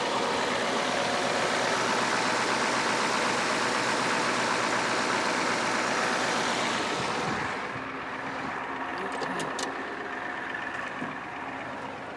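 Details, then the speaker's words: 1987 Ford F-350 6.9L IDI diesel auction truck, started after purging air from the fuel system: steady, even diesel clatter at idle with no misses or surges; normal idle. "sounds good too"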